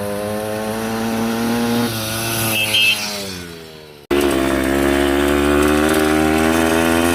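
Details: Yamaha 125 enduro two-stroke after fresh spark plug and fresh gas (earlier suspected oil fouling): crisp ringing buzz, revs sag then catch and hold strong and even, no misfire or bogging; normal healthy running.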